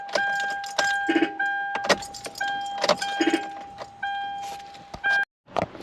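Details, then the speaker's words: 2012 Kia Soul no-start, starter starts only after tapping: sharp irregular clicks and brief horn chirps with the engine off; the horn is being triggered by the security system, and the starter appears bad. "all right so it does appear that the starter is bad and that clicking sound is coming from the horn which seems to have something to do with the security system"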